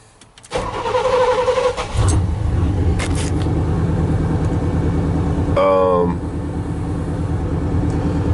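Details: 1989 Chevy C1500 Silverado 350 V8, intermittent starting fault: about 1.5 s cranking, catches with stumbles, settles to rough idle; grounds checked fine, sometimes smoke plume at cranking and stalls in gear when warm; cause unknown.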